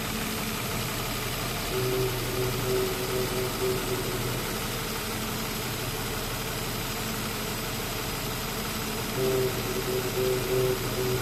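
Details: 2005 Nissan Xterra 4.0 L idling: faint mid-pitched howl from the engine bay coming and going in short spells; source unknown.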